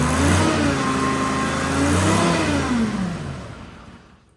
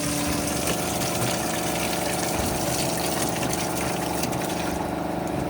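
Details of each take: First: Detroit 3-53 two-stroke diesel in a padfoot roller, started after sitting in the elements for years; throttle not yet figured out. Engine revs up with a smooth rising drone, holds, then winds down evenly to a stop; sounds good, healthy normal running. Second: Detroit 3-53 two-stroke diesel padfoot roller left in the elements for years: steady gush of water pouring from the side-mounted sump plug before oil follows; water flooded the engine.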